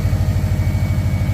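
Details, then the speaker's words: Subaru Forester XT turbo engine with a blown turbo sending oil into the intake, which smokes as it burns off, through a pass-through muffler: steady, even low rumble at idle with a clean regular beat, no knocks or ticks; sounds healthy and quiet. "It sounds great. Sounds really good, actually."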